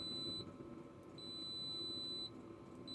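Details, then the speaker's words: Kaiweets KM601 multimeter continuity test: steady piercing high beep while probes touch, dropping out between contacts, with green light; works normally. "and I like the green light that comes on when you touch the blades together so if you're in somewhere and you couldn't hear if you're in a noisy environment you may not hear the um the beep but you can there's a visual bait"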